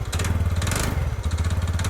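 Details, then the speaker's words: TVS Ntorq scooter idling after start: rapid uneven puttering with bursts of rattly hiss; owner calls the sound so bad he doesn't want to ride it, unsure whether exhaust or engine; cause unknown. "ये देखा sound भाई, चलाने को मन ही नहीं कर रहा, इतनी गंदी साउंड आ रही है ना भाई, क्या करें।"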